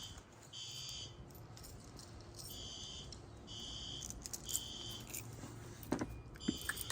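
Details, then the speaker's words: Building fire alarm system during a monthly night-time test, with the sounder switched from high to low volume: a shrill high tone pulsing in about one-second bursts with short gaps, full alarm after a heat detector tripped. "I changed this to low volume from high volume as it was a little too painful before doing the monthly tests"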